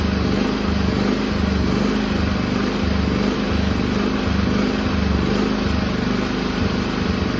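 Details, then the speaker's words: Firman W3300i inverter generator surging at idle/eco mode before repair: engine revs high and drops about once a second in a steady hunting pattern, attributed to a dirty carburetor idle (pilot) jet. "You might notice your generator revving high and then dropping repeatedly. That's classic surging."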